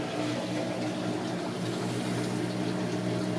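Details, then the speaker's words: Sump pump running after washing machine discharge, monitored by ESP32 ultrasonic level sensor: steady low hum with water rushing through, no knocks or rattles; normal pump running. "I think it's yeah it's running some more it's pushing more water out I can hear it"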